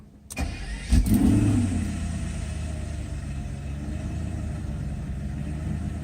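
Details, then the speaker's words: Mercedes 140-chassis test car with repaired E-gas throttle control module installed after bench test: brief crank, quick flare, revs wobble a second or two from warm-up enrichment, then smooth even idle; normal cold start. "yeah that's a little bit of a rpm fluctuation on cold-start in the Richmond not a deal-breaker and I mean that's just a few seconds and it's gone"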